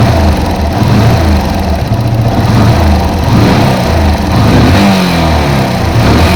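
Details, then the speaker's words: Yamaha FZ-S single-cylinder: loud steady running with a light tick heard from the top of the engine, louder when ridden; tappet issue from excess valve clearance, to be fixed by tappet adjustment. "तो दोस्तों यह ट feet का issue है टा feet को हम adjust करेंगे"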